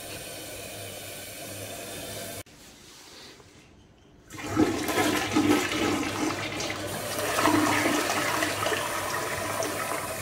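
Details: Toilet after a clog that caused incomplete draining and gurgling was repaired and the water turned back on: quick, rushing flush that drains cleanly into a steady refill with no gurgling or choking; it now flushes normally.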